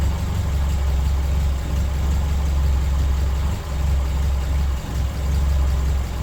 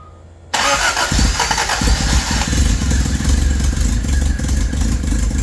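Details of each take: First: 1983 Toyota Tercel wagon 3A engine after head gasket replacement and exhaust gasket fitted; deep, even idle rumble with no misses, ticks or knocks, normal idle. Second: 1983 Toyota Tercel wagon 3A engine, first start after head gasket replacement, timing checked correct: loud raspy chuffing each firing pulse from exhaust left untightened; fix is tightening the exhaust.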